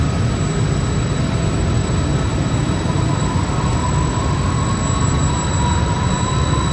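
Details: York 800-ton electric centrifugal chiller, R-134a, startup in live machine room with other chillers running: deep steady roar, smooth even drone and faint high tone; compressor starting and running normally.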